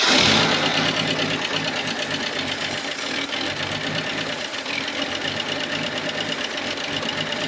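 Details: 1967 GMC truck running for the first time after sitting 45 years, started using ether: light, quick ticking rides over a rough, hissy idle, likely a lifter that has not pumped up yet, with a little smoke.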